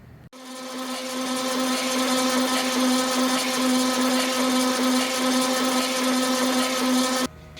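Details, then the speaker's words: Original 1962 Jaguar E-Type 3.8 being preserved, priming before first start: the fuel pump buzzes cleanly, switches on, holds an even pitch for about seven seconds, then cuts off. Normal fuel pump priming. "that pump's a little buzzer"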